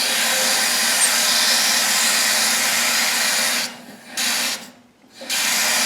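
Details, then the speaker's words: Toilet supply valve, loud water noise after flushing for the last couple of days. Harsh steady rushing hiss fades as the valve is shut and surges back on reopening. Closing and reopening did not fix it; air bubble trapped upstream vibrating the valve. "So since that didn't cause the problem, that just kind of tells me that the bubble is kind of caught on the upstream side of the valve. And when you close the valve, the bubble just kind of stays there."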